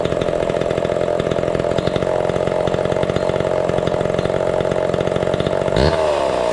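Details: Homelite Big Red Super XL chainsaw with new chain and chrome new-old-stock muffler: crisp, even two-stroke buzz holding steady at high revs with no stumbling or misfire; runs strong and healthy.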